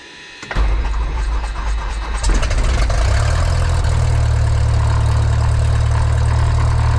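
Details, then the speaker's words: Light aircraft piston engine, mixture full rich, started on the left tank then selector moved to what was thought "both" but was actually off (unmarked old faceplate): cranks, catches, low uneven sagging idle, then dies; fuel starvation stall. "So I put it back to both and just let it sit here and idle, and that's what it's acting like it's doing, is running out of gas. It went dead again."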